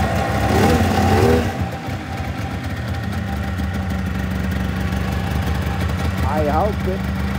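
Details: Engine started after checking coolant: steady but quick idle, roughly four beats a second. Owner suspects it is revving a bit high and says it doesn't sound right.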